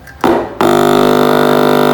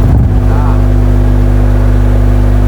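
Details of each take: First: Speaker tested without an amplifier, fed mains power directly through a series connection: a harsh rattling buzz instead of a smooth low drone, showing a rubbing voice coil. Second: Speakers wired in series and fed directly from mains power with no amplifier at 500 W: loud, steady low hum drones evenly with no rattle or break-up. The driver handles it normally.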